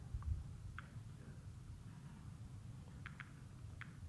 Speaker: okay each click signifies the arrival of a subatomic particle coming through the detector